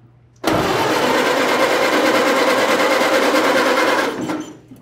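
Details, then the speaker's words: 1930 Ford Model A sedan, unknown time since last run, spark confirmed, fuel added: even rapid cranking about three times a second for several seconds, never catches; low compression suspected, not confirmed. Cranks but won't start. "even with low compression it should just want to go"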